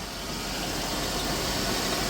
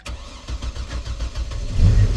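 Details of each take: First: The mother's car, shown alongside the Trailblazer project, with a freshly fixed key, probably on bad gas, missing a transmission part and a cap: a steady, even engine note with no knocks or stumbles; the engine sounds healthy. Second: Chevy Trailblazer, first start after fuel pump install, tank nearly empty: cranks, catches, then unsteady wavering idle, running rough and missing. Owner suspects a misfire, cause not confirmed.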